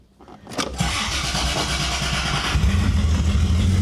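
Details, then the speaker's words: 1983 Toyota Cressida with straight-piped 5M-GE six, started before a drive on new wheels with adapters; starter whirs, engine catches into a loud, deep, lumpy burble with blips. Normal start and rev. "That's just straight piped 5MG. If you're not familiar, if you haven't been here and heard it before, that's what it sounds like."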